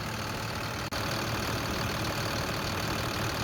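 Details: 2014 International 4300 with MaxxForce diesel, idling after fuel filter replacement and priming, checked for leaks. Even, steady idle with no stumble or knock. Water-in-fuel light gone, running clean.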